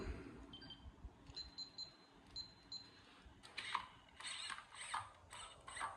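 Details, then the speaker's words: MCD Racing RR5 4WD 1/5-scale buggy with an AGFRC large-scale servo on 2S and a big double horn giving lots of throw. With the end point cut from 85 through 80 to 75, short whining sweeps still end in sharp clicks at full lock. End point too high. "Wow, it's still hitting at 70, 75. Okay, we'll bring them down again."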